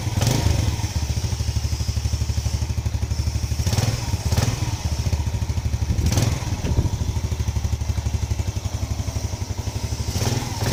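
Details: Yamaha Lagenda 115 motorcycle with hard-starting problem, after fitting a new pilot jet and main jet 100 and restarting from cold: small single thumps at steady idle, even firing, no misfires, a few handling thuds; now runs normally.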